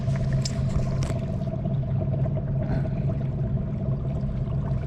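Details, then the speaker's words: Newly fitted bow-mount trolling motor on a 16 ft Lodge boat, on autopilot holding course: steady low electric hum with an even mid tone over water rumble, no surging or grinding; motor barely working and holding course normally. "See how that's how it should work right there? How it's barely moving now? It's holding the course, but we're barely moving this motor, but it isn't going back over this way real hard."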